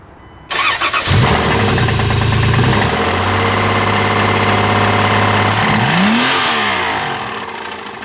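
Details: Dodge Dakota 3.9 V6 catches and settles into a fast idle with a steady rapid knocking under the running note; engine knock, cause not confirmed.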